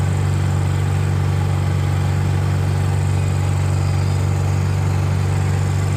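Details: NPS inverter generator on a 2025 Alliance fifth wheel RV, after clogged carburetor was removed, cleaned and soaked in cleaner: smooth, even low hum at steady speed with no surging or hunting; normal running.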